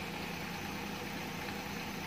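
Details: Maruti 800 with starting problem, idling after the faulty MAP sensor was replaced; car now starts smoothly. Steady, even idle with smooth low hum, no knocks, misses or surges: normal idle.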